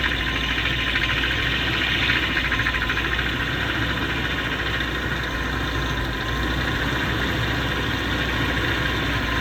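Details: BMW M73 V12 at steady idle with an added high, pump-like whir over the low rumble that comes and goes every few minutes, as if a pump starts and stops; intermittent whirring at idle, source not found.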